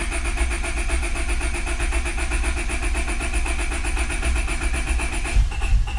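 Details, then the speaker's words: Honda Civic B20 after welding a broken VTEC oil-fitting hole in the block, with everything reconnected: cranks at a steady quick beat but won't catch; owner suspects no fuel, later the alarm system. "i'd have to check but it sounds like there's no fuel"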